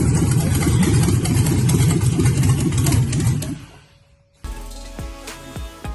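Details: First start of a 5.3 V8 (LS swap) on an engine stand: fires and revs strongly with an even, clean exhaust note before dropping away; normal running, healthy.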